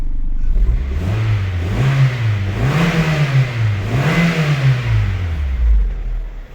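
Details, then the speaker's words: Honda CR-V after fixing fuel pressure problems caused by clogged injectors, on a temporary battery: smooth rise and fall with each throttle blip, no stumble or knocking; revs cleanly and idles well. "So, turns on good. It runs good. It rips fine. Everything is great with it."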